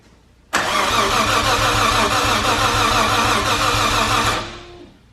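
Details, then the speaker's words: R33 Skyline RB26 turned over on the starter for its first start after fuel check, priming oil: a steady, even rhythm for about four seconds with every compression beat alike; normal, healthy cranking. "How's it sound? Sounds pretty good, actually. Yeah. I was a little bit worried."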